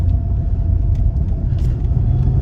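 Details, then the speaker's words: MK5 Ford Escort driving after fitting a new exhaust and replacing the MAF sensor: deep steady exhaust roar, no popping, misfire or hesitation; now accelerates smoothly instead of in stages. "Oh, hear that roar. Hear that? Look at that roar of the engine there. Never made those sounds before."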